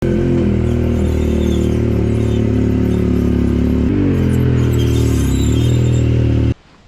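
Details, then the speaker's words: Yamaha YXZ side-by-side rolling with its engine droning: thin, high brake squeaks present since purchase in January. The owner fixed it by lubricating the backs of the brake pads and the caliper pins; long-term results are unconfirmed. "that is a lot of squeaking. So today I'm going to try to fix that. I've had that squeaking since I bought the car in January, and I just want to see if I can make it stop."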